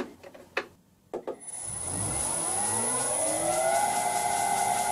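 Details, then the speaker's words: Vintage lathe motor on a new XYS-AT1 VFD, much quieter than the screaming 32-year-old Allen Bradley it replaced: a few clicks, then a smooth tone rising evenly as it spins up to a quiet steady whir; drive and motor healthy. "I bet you guys like that noise a whole lot better than the screaming Allen Bradley."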